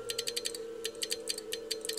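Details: Walford Electronics HF linear amplifier kit with QSK relay changeover, keyed at about 25 words per minute: rapid, crisp relay clicks follow the keying over a steady hum. Normal switching; 30 wpm proved too fast and damaged relays.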